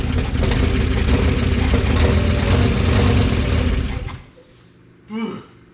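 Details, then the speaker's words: 1955 DeSoto Firedome Hemi, first start in decades after long storage, running on carburetor fuel: uneven, lumpy idle pulsing, smoothing slightly before shutting off. Rough idle; owner reports bad blow-by and suspects a valve not sealing, possibly stuck. "did you hear it smooth out a little bit it's got really bad Blow by so it's getting compression in in the crank case somewhere one of the valves isn't sealing"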